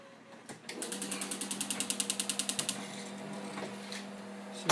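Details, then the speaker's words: 1971 Dodge Challenger with Holley 950 EFI converted to EZ-EFI, key-on: pump hum starts with a quick run of about twenty even clicks, then steady humming; normal fuel pump prime and injector cycling. "can hear the fuel pump of the injector cycle I can now hit this again"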